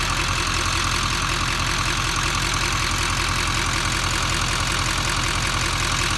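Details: 2015 Duramax LML diesel idling after EGR delete and intake bridge pipe install: a loud airy whistle/hiss over the clatter, suspected exhaust leak.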